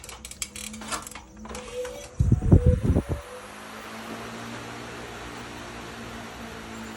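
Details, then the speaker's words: Solar-powered 65 W 12 V three-speed fan in a horse run, fed by two panels and an 18 Ah battery at 13.4 V, under cloudy sky: clicks and clunks at switch-on, then a steady low hum and even whir, running very consistently. "Amazon running consistent very consistent"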